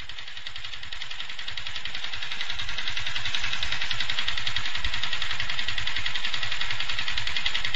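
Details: Yamaha FZ150i single idling: steady metallic clatter about three or four beats a second, worsening daily with heavy vibration; persisted after overhaul, came back after engine bearing and primary driven gear replacement; owner suspects valves, unconfirmed.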